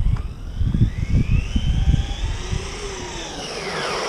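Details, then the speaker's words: Car driven on snow and ice, speed run up to full speed after changing to a 15-tooth gear: thumping bursts over a high gear whine rising with speed; gear mesh seems too tight and needs backing off slightly. "Sounds like the mesh needs to be just backed off by here."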